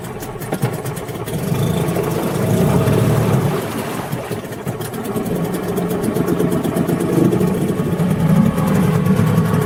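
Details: Tohatsu M5B 5hp two-stroke outboard after a new water pump impeller was fitted; steady fast idle with a slight uneven wander, no obvious misfire or knock, running fine.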